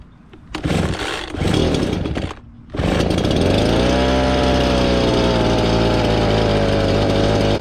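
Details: Gas blower with a 42cc engine and 510 CFM, last used about two months ago, cold start on choke: it catches after a few pulls and settles into a steady high buzz. Normal running.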